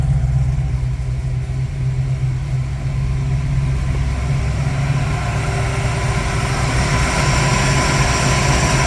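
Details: 1968 Mustang Fastback with 351 Windsor V8 running after 25 years, cam bedded in and run to temperature, torque converter nuts now fitted to flex plate: steady, even V8 burble revving smoothly, no knocks or ticks, sweet exhaust tone; normal idle and revving.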